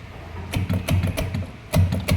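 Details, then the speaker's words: Manual washing machine, also with a drain problem: uneven bursts of low clunks and rattles under a faint motor hum; the motor is loose and moving on its mount, worn pulley and gearbox suspected. "kaya maingay siya gumagalaw yung motor"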